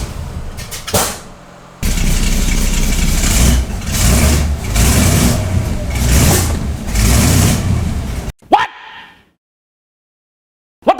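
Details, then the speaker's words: 1965 Cadillac V8 with a new carburetor, floats lowered, throttle linkage reset and timing set; it cranks, starts right up and runs rough, but is still trying to diesel (run-on) after the key is off. "Hit the key, starts right up, but it's still trying to diesel."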